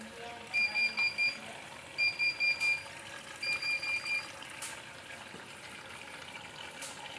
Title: Bosch washing machine won't pull in water easy fix/bosch machine beeping sound,tap sign on